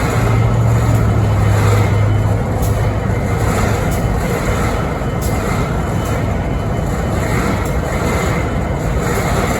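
Locomotive diesel idling with a low steady drone and faint irregular knocking on top; an odd noise is present but its cause is unknown.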